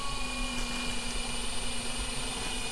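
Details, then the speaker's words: New Marco bronze gear water pump, first switch-on; faint, steady hum with a few fixed tones, barely audible, no knocking or rattling while water flows; normal pump operation. "There's the switches. You can barely hear it. I thought it hadn't come on then, but it has."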